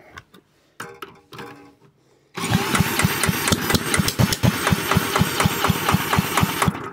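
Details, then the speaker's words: Side-valve Villiers Mark 10 engine that hasn't run properly in 30 to 40 years, kick-started with choke open: fires unevenly about twice a second for several seconds, then fades out without settling into a run. "ah hear it coming out the exhaust one oh she was close"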